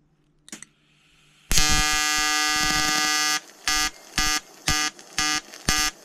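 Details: EWM Tetrix XQ 230 Puls AC/DC inverter TIG welding 5000-series aluminium corner joint: 2.4 mm lanthanated tungsten, 2 mm filler, pulsed AC. Harsh steady buzz about two seconds, then short buzzing pulses twice a second; normal AC TIG arc (welder felt bead start slightly cold).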